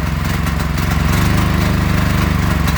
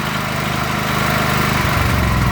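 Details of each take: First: Predator 8750 W inverter generator with Nash Fuel tri-fuel kit, running on propane without choke at idle after idle-screw adjustment: steady, even chug with a brief dip in tone as it settles; normal running. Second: Predator 8750 W inverter generator on Nash tri-fuel kit running propane, no choke: steady drone turns lumpy and uneven when the idle block adjusting nut is backed out too far, misadjusting the propane idle mixture.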